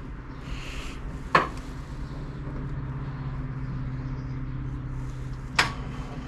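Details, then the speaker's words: Fendt tractor at minus 7 °C that won't start, battery voltage dropping to 11.8 V: sharp click, then only a low steady hum with no cranking, another click later; starter failed, 2 of 4 brushes came unsoldered. "Mehr oder weniger ist gerade wunder, dass er überhaupt noch die letzte Zeit aufgesprungen ist. Im Endeffekt 2 von 4 Kohlen haben sich abgelötet."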